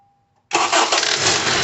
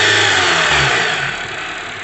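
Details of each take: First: 2012 Honda CR-V start-up: engine fires and settles to a rough loud run with a knocking slap from the upper engine, seemingly valves, VTC actuator or timing chain, actually caused by a badly worn, damaged serpentine belt. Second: 2012 Honda CR-V with serpentine belt removed: engine revs and settles cleanly, smooth even note, no knocking; noise traced to worn, damaged serpentine belt, not VTC actuator or timing chain.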